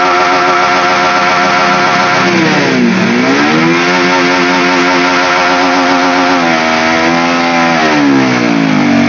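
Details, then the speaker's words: Honda CB150R that won't pull at full throttle: revs climb, then pitch sags and hunts when held open as power fades; the power loss is felt as an imbalance. "Nah, kondisi saat ini adalah ketika putaran mesin dinaikkan dan kemudian ditahan, ya begitu. Jika dipegang terus menerus, daya yang dihasilkan akan berkurang."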